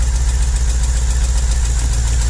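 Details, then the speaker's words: 2009 Holden Commodore VE 6.0L Gen4 V8 with a rough idle miss. It sounds normal at first start, then misses as rpm drops. A broken pushrod leaves a valve stuck closed, so one cylinder is dead and the deep V8 idle has an uneven, stumbling pulse. "But that valve there, that's stuck closed, absolutely closed. It's not letting any fuel and air into that cylinder, so it's not helping that at all. Okay, so we've still got a miss, but"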